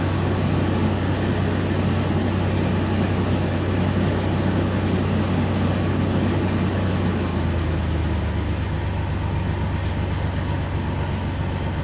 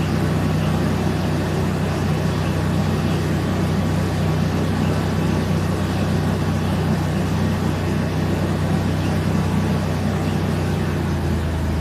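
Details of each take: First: Mercedes W163 petrol engine idling with a low, lumpy drone and rough uneven throb from a misfire on two cylinders. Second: Mercedes W163 petrol SUV idling smoothly after a misfire on two cylinders was fixed, with a steady low hum and no stumbles or uneven beats; normal idle.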